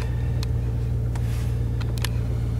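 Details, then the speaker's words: Old John Deere diesel tractor with front sweeper, cold start at minus three degrees C: steady low thrum idling fine at about 900 rpm with no surging or hunting; usually it idles down after a while, and the owner suspects a vacuum issue or the cold. "i think if there's a vacuum like or something to do it right away you know seems to be idling fine there but 900"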